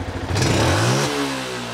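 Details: Yamaha Jupiter MX before tuning: small bike engine revs hard at full throttle, then stumbles with a brief pause at the top before settling; hesitation when revving, cause unclear.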